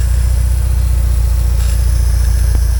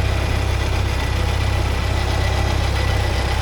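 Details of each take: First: 1979 Porsche 924 idling while warming up after fuel filter, pump and strainer work: steady, even low throb with a quiet fuel pump, no whine, and only a faint light clack judged not serious. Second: 1979 Porsche 924 idling with faint constant whirring hum over low rumble; owner believes the alternator is making the noise, later replaced it with a new one.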